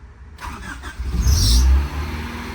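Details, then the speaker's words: Honda Del Sol starting after its slow-to-prime fuel pump was fixed, clutch in and pump primed. A short crank catches almost at once, revs flare, then it settles into a good, steady idle with no throttle blip needed. "Look at that. Beautiful. She fired right up as expected. Idling good."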